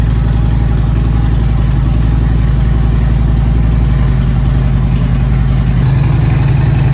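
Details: Harley-Davidson Street Glide Twin Cam after Screamin' Eagle cam support plate and high-volume oil pump install: loud steady loping V-twin idle, even low beat, no ticking or knocking; hot-idle oil pressure about 3-5 psi higher than before; normal idle.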